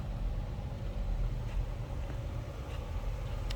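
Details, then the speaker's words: Stock unmodified 2006 Chrysler 300 Limited AWD, under 30,000 miles, heard from the rear at the exhaust: low even rumble at idle with no ticks, misses or rasp, normal healthy idle. "Doesn't appear that anything has been modified. Sounds as you would expect. A stock 2006 Chrysler 300 Limited to"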